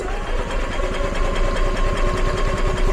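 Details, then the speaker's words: EZGO gas golf cart, long stored and never run right: low uneven chugging with irregular misfiring pulses and no steady rhythm after fitting a new carburetor, sounding fuel-starved. It still runs rough, same as before. "sounds like it's struggling for gas still but let me take a minute for that carb to fill up"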